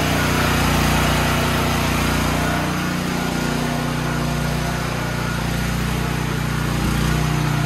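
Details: Troy-Bilt XP generator on the bench during service, full fuel and fuel valve on: small single-cylinder engine running at a steady, even speed with no misses or knocks; the generator runs normally.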